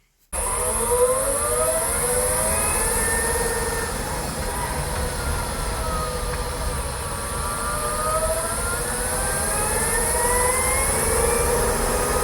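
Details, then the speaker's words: Kia e-Niro electric motor while driving: high whine rising and falling with road speed over tyre noise, not a rattle; louder with windows open near walls; owner unsure if normal, cause unknown. "It has a funny sound, even with the new electric motor. It's not rattling. It's a new motor, but it's not silent."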